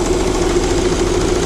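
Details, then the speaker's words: 2000 Saturn L300, 3.0 L V6, idling after a timing belt job: a ringing mid tone and faint repeating knock return with the accessory belt refitted. Power steering pump suspected, then belt slipping on the crank pulley suspected; not confirmed. "put the accessory belt back on and we got the noise back I think it's coming from the power steering pump"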